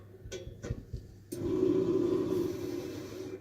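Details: Renz CBS/PBS machine after the fix: the roller had stopped under load because the two 2mm grub screws holding the nylon drive wheel to the motor had loosened and were retightened. After some handling clicks, a steady mid-pitched motor hum runs evenly without stalling or labouring.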